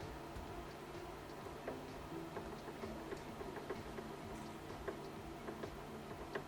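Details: Honda Civic Ferio ES1 steering rack, removed, quiet room: irregular light dry clacks as the shaft is rocked by hand; heavy knock from worn play at the plastic reduction gear shaft, rack replaced with used 60,000 km unit.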